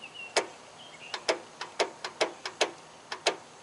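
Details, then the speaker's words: Circa-1991 Craftsman riding mower, key start with battery and jump box connected: about eleven sharp uneven clicks in four seconds, no cranking; solenoid clicks but starter gets no current through its broken terminal connector. "Uhoh. I think we got a messed up starter."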